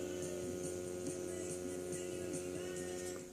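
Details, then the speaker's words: Boombox being repaired, with a part owner suspects was for grounding left disconnected: steady low electrical hum with buzzy overtones running unchanged under everything; mains hum. "I mean I don't know if you guys can hear that buzzing"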